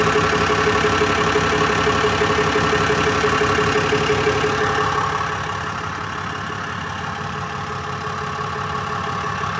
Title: 2018 Ram 5500 6.7l ticking / knocking sound, two weeks after I replaced the engine.